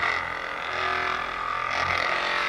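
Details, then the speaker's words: Hypervolt knockoff portable percussion massage gun, rechargeable: loud high buzzing whir with a harsh rattle edge, steady throughout, with the body vibrating; noise level judged unacceptable, cause not identified. "the noise level is just unacceptable as well"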